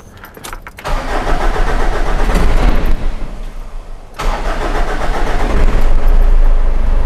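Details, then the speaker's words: 2008 Ford Ranger 3.0L turbo diesel with intermittent hard starting and heavy black smoke, started after blocking the EGR: under a second of uneven cranking, then fires into a lumpy idle; sometimes won't start first go. "see at times it doesn't want to really start on first go that's something my customers been complaining about too"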